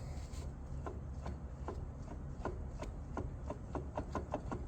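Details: Harley-Davidson Dyna 6-speed transmission, clutch pulled in: steady low rumble with regular light ticking that speeds up; excess clutch lever play, caused by worn trap door bearings (missing clip), fixed by replacing both trap door bearings and gaskets.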